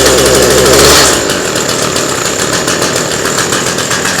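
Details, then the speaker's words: Cheap two-stroke hedge trimmer started on full choke after priming and bleeding air: buzzes high, drops back, then settles into a steady even run without misfires or hunting; runs fine, though it leaks fuel. "it runs sounds nice and they say it they said it wouldn't"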